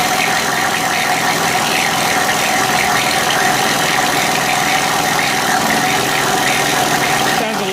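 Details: Honda EU3000is generator, partly disassembled, exhaust refitted with old gaskets, started on choke: steady mid-pitched drone with faint rattle underneath; owner thinks some noise comes from the crankcase, unsure if normal.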